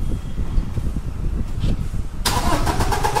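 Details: Toyota Innova Crysta diesel with a starting problem: the starter cranks steadily but the engine never fires or catches.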